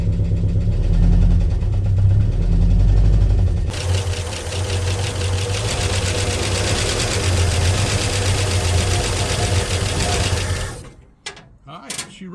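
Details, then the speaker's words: 1965 Ford Mustang 289 V8 barn find, parked 29 years, points cleaned, first run on ether: low, slightly lumpy idle holding steady several seconds before shutting off; all cylinders seem to fire. "runs. So, we're going to try to put an alternate fuel supply onto it right here with maybe a boat gas tank or something like that."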